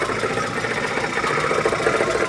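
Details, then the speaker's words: UAZ with 417 engine, first start after valve work: steady idle with a fast tinny rattle over the engine note, something loose rather than the engine internals. Cause suspected, not confirmed. "это что-то гремит ОММ это что-то гремит это не двигатель"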